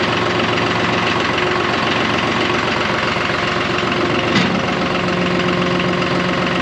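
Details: John Deere 5203 tractor with 512 loader, 740 hours, after milky hydraulic oil was dealt with by changing oil and filters: steady diesel idle with a clean hum; a hydraulic pump tone comes in partway and holds; running normally.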